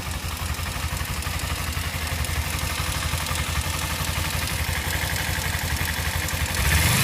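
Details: Kawasaki Ninja 250 at idle: steady twin note with a light, fairly regular tick about four per second; cause unknown.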